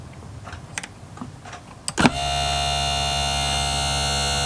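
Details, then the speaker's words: Hobao Hyper7 RC starter box motor after repair, on 13.2 V with the switch bypassed and no belt fitted: a few clicks, then a clean, steady whine; the motor runs normally. "it's working Happy Days"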